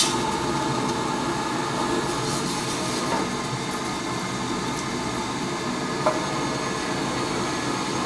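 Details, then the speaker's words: Oil boiler burner that wasn't heating the house, after fitting a new control; steady, even roar with no pulsing, surging or rattles, firing cleanly and far better than before. "so sounds like a thousand times better now"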